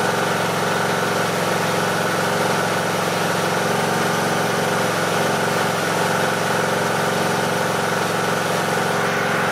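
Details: Briggs and Stratton 18.5 hp Intek mower engine after cleaning the carburettor pilot jet to cure surging: even, unwavering idle for ten seconds with no rise or fall in speed; running smoothly without surging.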